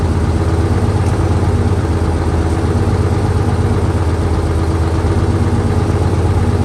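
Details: 1968 Dodge C500 truck on a cool day (about 40°F), started via jump from another truck and starting fluid: deep, steady low idle with an even beat, no knocks or misses, settling smoothly; normal idle.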